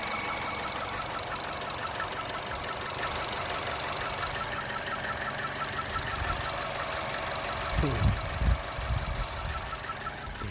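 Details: 2015 Chevy Cruze Eco LT 1.4 turbo: faint quick chirping ticks at cold start idle, keeping time with the engine; when warm it chirps lightly at low rpm and on acceleration. Fixed by tightening two loose spark plugs.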